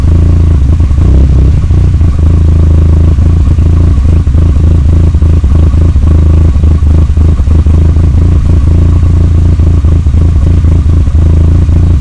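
Loud, deep idle with an irregular, stumbling beat and loose clatter, uneven firing throughout; a clear rough idle.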